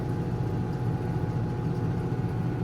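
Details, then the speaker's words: Black & Decker 3.0 portable washing machine, over two years old, heavy setting on spin cycle: steady, even low hum with faint constant tone, no knocking or thumping, still spinning out water and soap; normal, stable spin. "And this is the spin cycle, and you see it's still spinning out water, soap, all of that."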